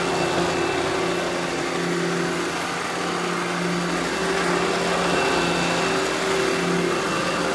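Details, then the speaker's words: Eureka The Boss Smart Vac 4870 GZ upright vacuum after belt replacement: even, steady motor hum with constant pitch and no rattles or surging; runs smoothly and healthy. "all right now I'm gonna go ahead and turn this thing on demo it for you guys and you can hear how smooth it runs"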